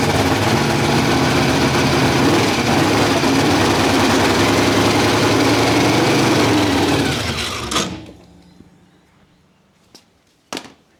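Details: Holden HQ project car with a big block Chevy engine, newly running with great oil pressure: steady, even rumble at a fast idle with no knocks or ticks, then a clean shutdown; healthy normal running.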